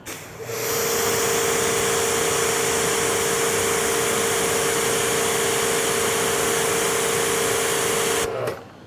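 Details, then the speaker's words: Active 3.0 pressure washer (rated 3 GPM), nozzle swap after the 846 PSI reading, next reading 870 PSI; steady hiss with constant motor tone, no surging; holding pressure smoothly under load. "846 PSI. I have to say it does not feel like 846 PSI because there's so much water flow coming through. It has a lot of kickback, like a lot."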